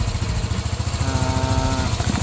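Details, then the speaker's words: Sol-I engine that was burning oil, after new piston, rings, block and valve seals: steady even idle thump, no rattle; earlier loud clatter gone, scanner parameters normal, no fault codes. "Yan, so okay na yung tunog ng makina ng Sol-I ni Pops. So kanina may may kalansing lagatik na malakas, hindi ko lang kasi na-record."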